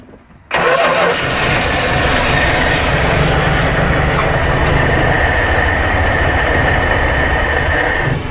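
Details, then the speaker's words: 1974 Dodge Winnie Wagon B300 one-ton van, engine now turning freely, with a battery put in. It suddenly turns over with steady, even churning, no knock or grinding. Normal cranking. "I'd say it sounds pretty good yeah it doesn't sound too bad"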